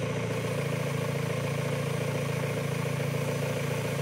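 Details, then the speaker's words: Mazda Miata engine at idle with a slightly uneven, hunting rumble-stumble from a small, deliberate vacuum leak at an open vacuum nipple; the engine runs lean, and spraying solvent at the leak raises the idle. "it'll kind of rumble stumble a little bit you can kind of see it moving around a little bit it's not making a huge huge difference so this is this is a relatively small vacuum leak"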